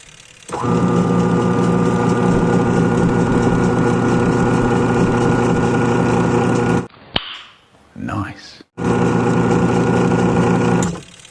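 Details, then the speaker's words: Samsung 7.5 automatic washing machine whose wash wouldn't run via the original board. Motor wired direct through a timer with a new capacitor starts cleanly, hums smoothly at even speed, stops and reruns; the wash motor itself is fine. "So umandar naman po. Ibig sabihin ayos pala talaga yung motor"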